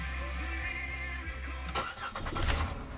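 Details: 2000 Chevrolet Impala that would not start with the security alarm sounding, after the ignition switch and lock cylinder were removed and reinstalled: engine catches and settles into a steady low idle without misfires, partly masked by music; starts fine.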